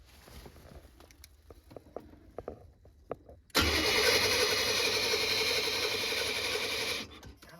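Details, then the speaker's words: Chevy G20 conversion van after a fuel system refresh: the starter cranks the engine at a steady, quick rhythm for about three and a half seconds but it never catches. It cranks but won't start, likely because it isn't getting enough fuel. "don't think we're getting any fuel. Not quite enough."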